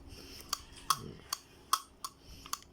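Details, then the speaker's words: Daiwa Sportline GS3000 fishing reel: crisp, sharp clicker ticks two to three a second, loud and healthy; normal. "นี่เสียงมีใช้ได้ครับเสียงดังดีหน้าลอกดีแข็งแรงดี"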